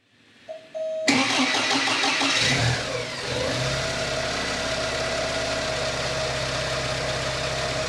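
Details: 8-valve naturally aspirated Porsche 944 after fitting a Lindsey Racing MAF conversion kit, with the power wire jumpered to fuse panel relay pin 86: starter whirs briefly, engine starts at once and settles into a steady, even idle with no hunting.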